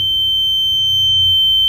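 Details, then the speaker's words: Wemos D1 mini ESP8266 fire-alarm prototype, gas leak simulated: gas sensor indicator lights, Telegram message sent, steady piercing high-pitched buzzer sounds until the gas clears. "Maka lampu indikator di sensor gas itu akan menyala. Lalu alat ini akan mengirimkan pesan ke Telegram dan juga ada alarmnya gitu."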